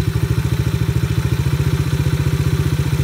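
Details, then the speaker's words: Coolster 125 Chinese ATV single-cylinder after carb mixture tuning, idle screw raised: even brisk thump about twelve beats a second; idle set a little high for owner's liking. "Everybody's got their own wheelhouse. That's a little high for me. I like it somewhere in there."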